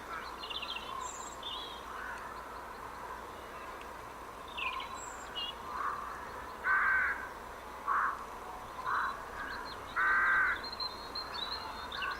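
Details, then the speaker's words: HP computer, recorded at the speaker: scattered chirps and loud crow-like caws over faint hiss, irregular and unrelated to any machine; owner suspects a virus despite antivirus software and no known background programs, source unknown. "it's like several different birds and like a big crow almost or something but i don't know how it would happen"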